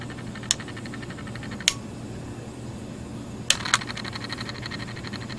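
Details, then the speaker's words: 1990s First Alert LS 230 mechanical lamp timer running: low steady motor buzz with scattered sharp clicks and chatter; it has stiff spots and is hard to turn by hand, yet runs and keeps time, just noisy. "even though I have trouble turning it manually it runs but it's just noisy"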